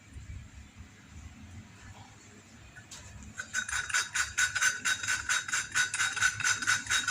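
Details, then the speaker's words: Valve being hand-lapped with a little oil, lifting and turning it one way: gritty, scratchy rasping at about two strokes a second means the seat is still rough, so lapping continues until the sound turns smooth. "Nah, ini suaranya masih kasar. Lanjutkan terus sampai suaranya halus."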